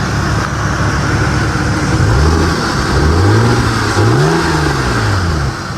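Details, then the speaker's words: 1998 Lexus GS300 after AC compressor replacement, hood open, compressor clutch engaged and AC blowing cold: engine revs up and settles smoothly with no whine; compressor sounds healthy. "I don't hear the whining sound, so nah, not this again, boy."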